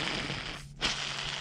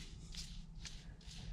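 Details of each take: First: Riding lawn mower idler pulley spun by hand on the bench, removed from the mower: dry, gritty hiss from its sealed bearing packed with old, dirty grease; spins freely without play, so it can be cleaned rather than replaced. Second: Riding-mower idler pulley sealed bearing, hand-spun after the fix: soft rhythmic swish about twice a second, no grinding or rumble; pulley now quiet, only slight noise.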